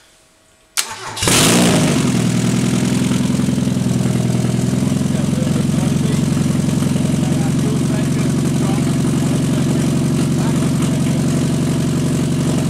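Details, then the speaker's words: Mazda MX5/Miata engine with no cooling or exhaust system fitted, run briefly for start-up tests: cranks briefly, catches at once, settles into a loud, steady, even open-pipe idle; normal start and run. "so the there is no cooling system or exhaust system hooked up so it's going to be a little bit noisy and we're only going to run it for a limited period and because of there being no cooling system so let's go ahead and start it up"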